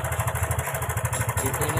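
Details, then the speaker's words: Karisma motorcycle with a very rough engine sound and oil leaking from the block. Fast metallic ticking, roughly ten a second, over a ragged idle; the cam chain may be slack or the automatic tensioner no longer working, not yet determined. "ada suara cek cek cek cek cek cek cek cek cek cek cek Arahnya ada pada nxx kita nggak tahu yang kendor atau otomatisnya ini yang sudah enggak main lagi kita belum tahu ya"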